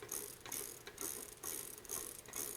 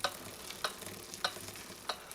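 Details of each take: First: Trek 6500 mountain bike rear wheel spinning freely with quick, fairly even pawl ratchet clicking in bursts; previously sticky freehub freeing up as lube is worked in during cleaning and tune-up. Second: Trek 6500 mountain bike rear freehub, which barely clicked with gunked lubrication, after applying thin cleaner-lube where the freehub body meets the hub: wheel spinning with crisp, evenly spaced clicks returning, normal pawl ticking.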